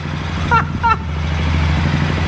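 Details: 2007 Suzuki King Quad that had died, right after a new spark plug was fitted. It fires and settles into a steady, even single-cylinder idle with no misses; old plug was the problem.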